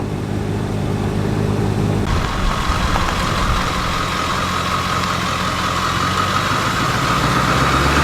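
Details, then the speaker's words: Ford 7.3 diesel van after vacuum pump replacement, on a test drive: a steady diesel drone with road rumble and no knocks, ticks or whine. Everything sounds normal and the engine runs clean. "we are back at the compound everything sounds great there are no weird noises"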